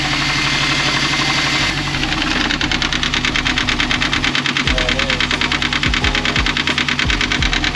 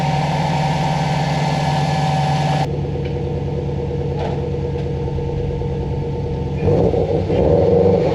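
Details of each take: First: 2004 Subaru WRX wagon boxer engine idling with a steady sharp knock about three times a second; timing belt tensioner pulley spins freely and compresses by hand, loosening the belt; knock from failed tensioner, not rod knock. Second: 2004 Subaru WRX wagon after the timing belt tensioner replacement: steady boxer idle with an even beat, then a throttle blip that rises and settles cleanly with no knock. The bad tensioner was confirmed as the cause.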